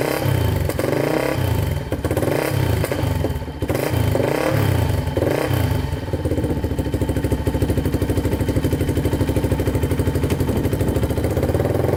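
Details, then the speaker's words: 2006 Polaris Outlaw 525 quad after carburetor cleaning (fuel screw out about three turns); even steady thump with throttle blips picking up cleanly and settling back, no longer stalls when pulling forward. Normal running. "all right so this thing is running good uh the carb clean seemed to fix it so it wasn't shutting off when i uh went forward anymore so i think the carb clean was the issue"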